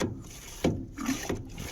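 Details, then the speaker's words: Offroad camper trailer kitchen hand water pump, previously sucking air, now on lock: short rhythmic strokes about every 0.6 s with gurgling between, drawing water up from the tank normally. "can hear it draw the water up and off she goes."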